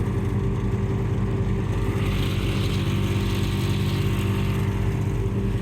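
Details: On-board air compressor in the toolbox of an off-road Ford F-150, 30 A fuse fitted after relay was clicking on and off: steady even buzzing hum over the truck's idle, no stalling or labouring; normal running.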